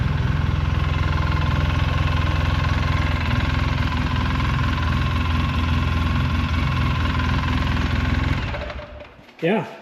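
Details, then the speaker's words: 2008 Polaris Sportsman 800 EFI after installing a new Moose Racing fuel sending unit/pump: steady, even low idle for about eight seconds, no stumbles or misses, then shut off; no fuel leaks; normal idle. "she runs really good there's no leaks coming out of the top here no leaks coming out of the bottom"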